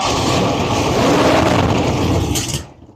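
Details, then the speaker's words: 1967 Buick Riviera 430 V8 first start after engine reinstall, two throttle pumps, tach not hooked up: catches at once with loud rough roar and sharp exhaust bangs, cuts off after about two seconds; backfire, cause unknown. "Okay, well, it started up right away. It backfired a bit. Let's see here. Hold on. Not sure why it backfired like that."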